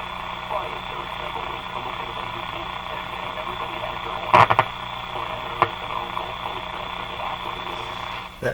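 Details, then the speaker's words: Canadian General Electric C701 console receiver on the bench, tuned near 590 on AM. Steady hiss with sharp crackle bursts, probably from a thermostatic control in the house rather than the radio. This is interference crackle on AM reception. "crackle is something probably in my house some thermostatic control operating not nothing to do with the radio probably"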